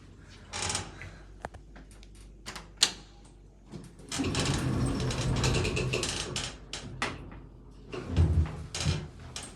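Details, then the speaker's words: Casado AC gearless traction elevator installed in 2002, 10 floors, 630 kg, 1 m/s, two-speed doors: irregular dull clunks and creaks come and go through the ride inside the cab. "we got some nice high tank Hightech clunking sounds you can hear creaking very Hightech indeed"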